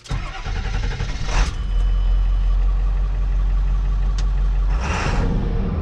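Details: 2002 Ford F350 Powerstroke diesel that idled with no throttle response and dead gauges, now with gauges working again: it cranks briefly, catches cleanly and settles into a steady, deep, even idle with no knocks or misses. Sounds healthy; cause unknown.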